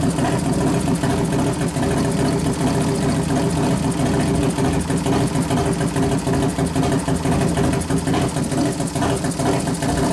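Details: New 1993 Harley FXR Evo 89ci stroker build, restarted with compression releases after refuelling, warming up, no air cleaner; steady even V-twin lope with throttle blips, no knocks or rattles: normal idle.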